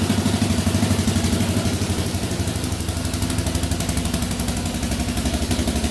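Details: 2004 Yamaha Raptor 660 quad, rough and had been sitting, restarts instantly: steady even single-cylinder idle about four thumps a second, no misses or knocks; sounds pretty good.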